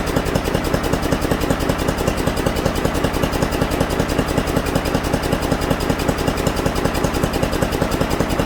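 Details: Mastercraft 10.5 hp 30-inch snowblower single-cylinder engine after carburetor clean and rebuild: fast even firing with busy steady rumble; idling a little high before the idle screw is turned left to lower it.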